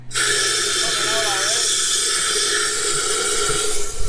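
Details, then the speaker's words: Jeep Gladiator Mojave (2020 or 2021), AEV 2-inch spacer lift, 37s, hydrolocked engine: steady loud compressed-air hiss with spluttering bursts as water is blown out the plug holes. "it's definitely coming out now just waiting for the compressor to build up some more pressure so we can actually keep blowing"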